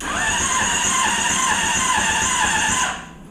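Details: Honda CBR600RR engine in off-road go-kart, rewired harness with no key, pressing starter button: steady high starter whine about three seconds, no firing; cranks but does not start, previously no spark.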